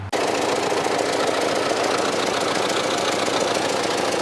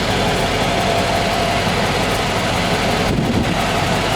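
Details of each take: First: 1995 Cadillac Fleetwood V8, January 2014, old worn mufflers, also oil and coolant leaks: loud, raspy, chuffing idle with exhaust escaping under the car instead of the tailpipes; exhaust leak from worn mufflers. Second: 1995 Cadillac Fleetwood after new mufflers were fitted, cold start: steady, even idle exhaust note with no misses, blowing or rattles and only a slight lisp. A normal idle, much quieter than with the old mufflers.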